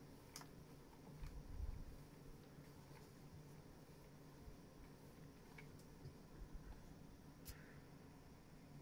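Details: Fanatec CSL DD wheel base with quick release: sharp isolated clicks on quick steering direction changes, heard clearly with round VRS wheel; plastic WRC wheel clicks less often but still under high force.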